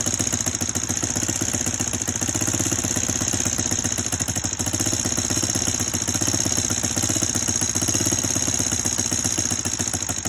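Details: Honda Foreman 400 ATV single-cylinder idling with sharp, rapid metallic ticking on every firing stroke: piston slap, wrist pin frozen to the rod, piston eating out the cylinder.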